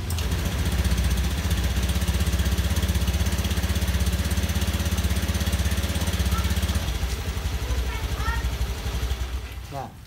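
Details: Motorcycle with fuel pump filter not cleaned, fuel pressure still above 40 at the gauge; engine fires, holds a lumpy idle about seven seconds, then fades and dies: stalling from a clogged fuel pump filter.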